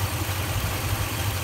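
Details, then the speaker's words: Toyota (Tundra/Sequoia/4Runner family) during a fuel pressure test, warmed up with hard starting when cold, low throbbing idle with uneven pulse and vibration; owner wonders about motor mounts, exhaust audible, cause not pinned down. "that kind of low in that kind of shakiness at this low idle even even a normal idle it shouldn't be vibrating too much"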